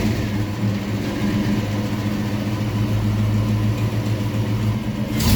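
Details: 1995 Mustang GT 5.0 V8 with 5-speed manual, running with the battery charging: steady low rumble at an even speed, no squeal or belt chirp, small blip near the end; healthy engine, though the car needs a front wheel bearing.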